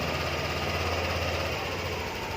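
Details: Yamaha New Aerox scooter, just started after repairing a broken wire that had disabled the speed sensor and ISC: idle slightly fast at first and easing down on its own as the ISC regulates air, even and smooth throughout; normal cold-start idle.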